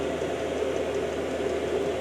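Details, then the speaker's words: Chinese diesel heater in a workshop, air intake drawn from the garage, warming up about three minutes after start: steady even whoosh with constant mid hum, no ticks, surges or rattles; fan running smoothly at full speed. "yeah she's warming up now a little fun here is sucking away"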